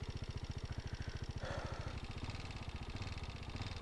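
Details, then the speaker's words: 2018 KTM Duke 390 at 49,657 on the clock, idling: low single-cylinder thumping with faint tapping over it; owner can't pin the source, engine or above; cause unconfirmed. "Sound check करो guys, मतलब पता नहीं भाई ये किस चीज़ का sound है। मतलब इधर से आ रहा है, इंजन से आ रहा है या इसके ऊपर से पता नहीं चल"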